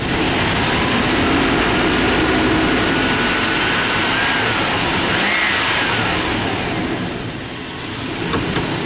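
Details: 1999 Chevy Tahoe engine that clanged and banged a couple of months ago; it now revs up cleanly and settles smoothly with no clanging or knocking heard. Owner is baffled by the cause. Normal rev, no knock.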